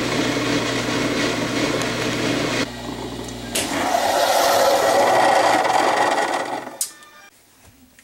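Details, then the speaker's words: Maytag Jet Clean Quiet Pack dishwasher before repair. A loud, harsh, steady scraping grind from low in the tub: a broken-off piece of the discharge pump housing had fallen onto the impeller and was rubbing it. Later fixed by gluing the housing back together. "I found that the discharge housing assembly had basically broke peace had separated and fallen down and was sitting on the impeller and that was causing the noise that you heard"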